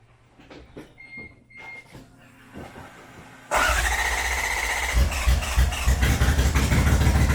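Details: Toyota Cressida with swapped 1UZ V8, started after new spark plugs (all plugs equally fuel-fouled, spark issue doubted); lumpy uneven idle pulsing about three times a second, won't rev, seems to run on one bank only, serious misfire.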